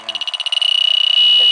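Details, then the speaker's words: 18-year-old 2.5-ton Carrier AC unit cycling on and off and nearly out of refrigerant with low system pressure: leak detector's shrill beeps quicken to a steady high tone at the coil, confirming a refrigerant leak at the evaporator coil. "i don't have a lot of don't have a lot of pressure in the system either it's definitely leaking in the coil"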